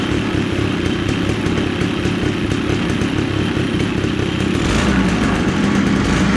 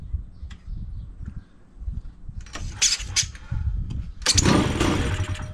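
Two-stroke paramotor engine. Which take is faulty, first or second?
second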